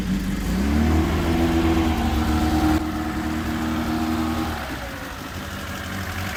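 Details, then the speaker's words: First start after carburetor rebuild with repair kit and jet changes. Engine catches and settles into a low, lumpy idle that dips and wanders; idle speed set too low and mixture out of adjustment, to be tuned with a warm engine. "Segu on ka paigast ära niikuinii praegu. Seda tüvikäiku, seda peab sättima kõike nüüd."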